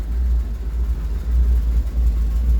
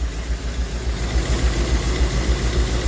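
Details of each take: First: Rolls-Royce Silver Shadow II after sitting over 10 years, rebuilt twin SU carburettors and new fuel pump, low on transmission fluid: deep idle rumble that swells and sags unevenly, running okay but not smoothly; rough idle. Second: Rolls-Royce Silver Shadow II with rebuilt twin SU carburettors and new fuel pump, first runs after sitting 10 years, no heat cycles yet: steady low idle with soft even pulse, fairly smooth but not perfect, some smoke at rear; normal idle.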